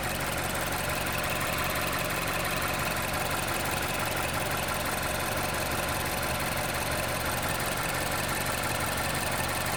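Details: 2011 Mazda CX-7 2.3 turbo at steady idle: a loose, uneven ticking about three times a second over the engine. It is an abnormal engine noise, and the source is not pinned down.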